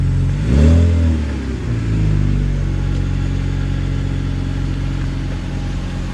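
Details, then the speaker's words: BMW E46 after resonator exhaust leak patched with muffler cement and foil tape, cured at operating temperature: quick rev blip back to steady even idle, no ticking or puffing; exhaust leak gone, sounds healthy. "no more exhaust leak i do believe it worked pretty healthy now"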